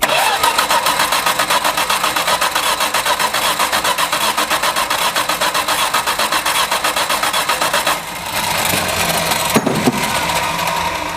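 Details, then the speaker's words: Old Valiant revival, leaking carburetor, wet intake: steady fast starter churning about eight seconds, no catch or firing; cranks but won't start. "I'm going to see if it even tries to light off. So we'll turn the ignition on again."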